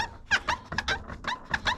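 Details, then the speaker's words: LG top-load washer WT7200CW squeaks during spin with quick, high, chirpy squeaks: the plastic tub rubs a pattern on a textured pad inside, viewed from the back. Duct tape over the pad stops the squeak. "that's the plastic tub up against that textured pad over here i just put a piece of duct tape in it's not it's no longer textured it doesn't squeak"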